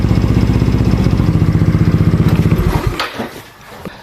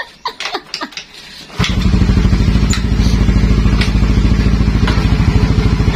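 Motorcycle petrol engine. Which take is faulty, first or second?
second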